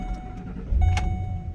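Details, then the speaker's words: 2012 Ford Expedition EL with a 7–13 second extended-cranking problem only on the first start after sitting six hours, here restarted warm after a few miles of driving: catches almost at once into a low, steady rumble; normal hot start. "starts right up no problem whatsoever only that first cold start in the morning that gives me a problem"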